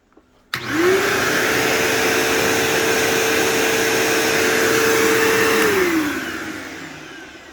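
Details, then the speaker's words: Brand-new old-stock 2007 Bissell PowerForce 3525-2 upright vacuum, first run after assembly: the motor spins up to a clean, steady hum and winds down smoothly with no rattle or brush noise. Normal running. "Wow. That sounds exactly like it should. It sounds exactly like my 3522."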